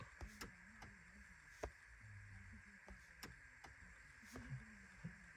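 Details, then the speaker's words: Rear door unlock relay commanded through a Topdon TopScan OBDII scanner active test on a car with about 169,000 miles: sharp, evenly spaced clicks at two to three per second. Normal door unlock relay operation. "so it says rear door unlock relay okay so you can hear it clicking see so the relay is working good"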